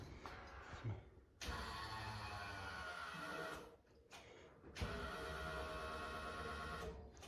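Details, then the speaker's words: 1966 Chevrolet C10 with LS swap, key on before first start: two quiet, even two-second electric hums from the rear fuel pump as the computer primes it; normal fuel pump priming, no leaks. "so when I turn this key I should hear the fuel pump back here come on so let's see what happens all right I heard it come on I'll cycle it"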